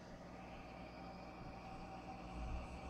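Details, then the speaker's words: 6040 CNC with 1,500 W water-cooled spindle (washer fluid and distilled water coolant) at low speed: very quiet steady hum with faint even whine, no roughness; healthy spindle. "we go boy is that quiet I am so used to routers and loud air-cooled spindles that that is really quiet and of course we're not going very fast here"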